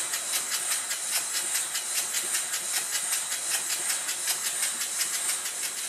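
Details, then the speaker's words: Rebuilt Stuart model steam engine with a reversed slide valve corrected and timing reset, running on low steam pressure. Crisp, regular chuffs of about 154 a minute over a steady hiss; running smoothly and perfectly. "The engine bursts into life and there's not much pressure going into it."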